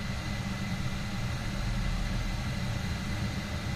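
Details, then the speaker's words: Honeywell gas valve on furnace/boiler, main pressure screw turned up: steady deep rumbling roar, no pulsing or popping; burner overfiring from excessive gas pressure, flame under burner, unburnt gas smell and soot, fixed by reducing pressure. "my problem was it was too high and you'll see as I increase pressure you can hear"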